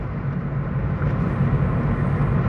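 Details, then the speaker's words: Car at light cruise, about 1200 rpm at 30 mph, after fluid changes: a low, even rumble with no misfire, hesitation or surging, running very smoothly. "just hard to believe amazing how smooth this car runs we're at about 12 1200 RPM at 30."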